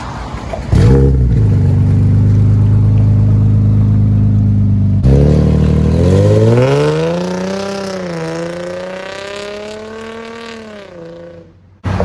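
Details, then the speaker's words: Infiniti G35 with Tomei exhaust, Manzo test pipes and Megan Racing Y-pipe, at idle and revving: loud raspy puffing exhaust rising and falling with revs, from both flex pipes on the Y-pipe blown out, before repair. "the flex pipe on the y-pipe they are completely shot out as you can see and when the car is idling you can literally feel all the pressure and air just coming right out on both of them"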